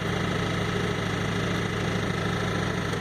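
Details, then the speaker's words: 2004 Ford F150 crew cab 4x4 V8 at idle just after start: an uneven, loping beat with a hollow wail. Cylinder 1 shows negative contribution, and a large vacuum leak at the back of the intake is suspected, not confirmed. "when it first starts you can hear this it's wailing noise and it sounds very much like a very very large packing leak"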